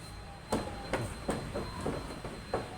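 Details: Honda Genio scooter on its centre stand, front wheel lifted, engine off, fork rocked back and forth: irregular hollow clunks about two a second; badly loose, worn steering head bearing (komstir), front brake also sticking.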